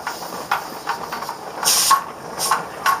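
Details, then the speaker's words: Pressure canner with a 10-pound weight processing chicken stock; short sharp steam hisses about every second as the weight jiggles once pressure passes 10 psi, normally holding 10–11 psi. "what's the pressure because it's 10-pound weight once it's 10-pound usually just over it will start to jiggle when it jiggles if you listen"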